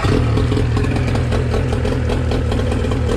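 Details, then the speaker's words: Used outboard motor, winterized and fogged by previous owner: strong, even running under throttle in forward gear with good water flow, clean steady beat, no misfires or knocking; fires right up, healthy. "forward good water still all she running good yeah it fires right up every"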